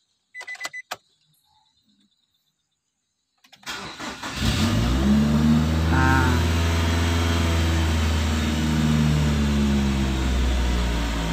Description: Cara mengatasi RPM naik turun, gampang-gampang susah sahabat, ini terjadi sesudah dilakukan tune up biasanya sahabat terutama pada mobil Nissan X-Trail.